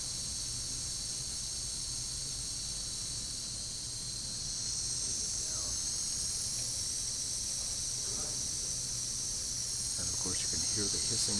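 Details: Foxboro 13A pneumatic pressure transmitter during calibration (0–34 inH2O, 3–15 psi output), settling at 15 psi: constant high airy hiss with no rhythm, normal air bleed from the relay.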